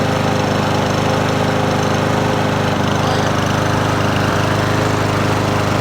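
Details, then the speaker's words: Troy-Bilt TB110 push mower, 550ex 140cc engine, wouldn't start after a carburetor replacement, now running: steady but slightly uneven throb and shake; owner suspects blade balance. "I got this go oh per it's got a shake though but that could be the blade probably needs to be sharpened and and balanced so we'll go take that off"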